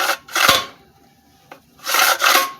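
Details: Old original 3hp Briggs and Stratton engine, long unused, on the bench on a cold night, after lubricant was sprayed in and worked in by pulling: two quick, smooth rope pulls with an even rasp and clean rewind, no catching; the recoil starter works as it should.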